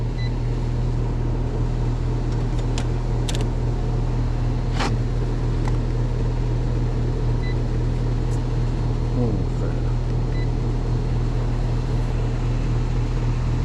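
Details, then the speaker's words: HVAC system on third callback in snow, contactor previously replaced: loud steady low droning hum with uneven rattling; sounds rough, technician suspects a mechanical failure inside. "oh I got to say that sounds rough like like something um ain't work like there a mechanical failure or something"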